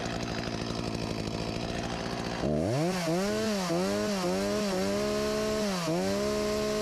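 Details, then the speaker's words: Husqvarna 254 G chainsaw, after carb refurbished and fuel line replaced, start throttle released: catches and settles to a steady, slightly wavering idle sitting fairly high; runs well, idle a touch fast. "Will it idle? It does -"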